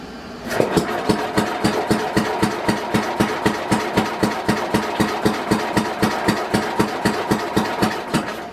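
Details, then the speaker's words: 1967 Simplicity Landlord 2010 lawn tractor, rear PTO unplugged, ignition on: steady cranking about four compression thumps a second for eight seconds, never catches; fuel valve left shut. "Oh, guess we gotta have the fuel on."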